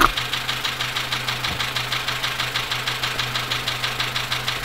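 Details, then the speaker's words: Dacia Sandero, Renault D4F 1.2 petrol engine (as in Clio), at a steady idle, recorded through a recorder and headphones: a sharp metallic knock about three times a second, deep from the bottom end. Low oil and a possible spun bearing are suspected, not confirmed. "so we've hooked up a recorder now put the headphones on and we'll see if we can get a recording of this engine knocking sound so here we go"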